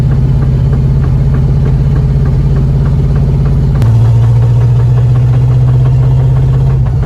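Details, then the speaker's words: Lowered Valiant: rapid regular knocking over the engine that changes with load while driving, absent at start-up and when revving in neutral; owner rules out engine knock, suspects front-end clunk under load, source not found. "I ruled out engine knock, so hopefully this sound doesn't come from the engine, and I ruled it out because of a few things that I tried."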